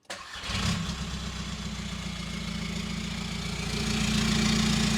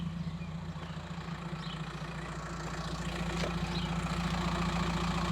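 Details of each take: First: VW T5 Transporter diesel, 287k miles, started out of gear with the old exhaust cut off and running straight-piped: brief crank, then a fast, even diesel clatter with a raw, unmuffled drone; straight-piped exhaust. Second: VW T5 Transporter diesel, 287k miles, idling outside with a homemade stainless exhaust; owner finds it a bit fruity and may add another box: deep, even idle at about 214 beats a minute, steady low rumble, no knocks or rattles; normal.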